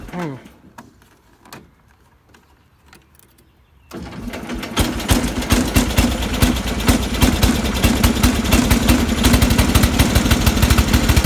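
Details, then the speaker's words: John Deere 318 lawn tractor engine, reassembled after crank seal and head seal replacement, starts and runs with rapid uneven knocking under the motor noise: rod knock; side-to-side play found when the engine was apart. "this is as far as we can go with it any further you can hear rod knock"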